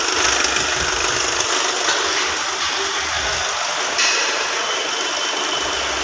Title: hyundai venue timing chain noise